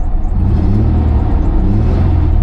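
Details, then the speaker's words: Chevy Blazer 2-door, 276,000 miles, service engine soon light on: deep clean rumble swelling with each throttle blip and settling evenly; revs freely, sounds healthy. "Service engine soon light is on. Revs up nice."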